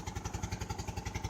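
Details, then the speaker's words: 2002 Saturn Vue 4-cylinder, at idle and revved: loud rhythmic puffing and flapping at about nine beats a second, misfiring; first thought EGR valve, then found spark plug blown out, gas escaping from the cylinder. "spark plug fell out that's exactly what it is that's my conjecture I'll rev it up this misfiring"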